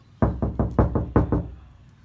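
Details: Knock test on uncovered driver's door, compared with KilMat-treated passenger door: seven quick knocks, boomy and hollow with a ringing tail; bare door skin with no sound deadening.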